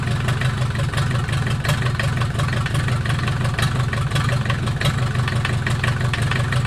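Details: Mercedes 240D OM616 four-cylinder diesel, reassembled after sitting about a year and a half, 124k miles, restarted after glow-plug cold start: steady low clatter, even rhythm, no knocking, smoking a little from old fuel; normal idle.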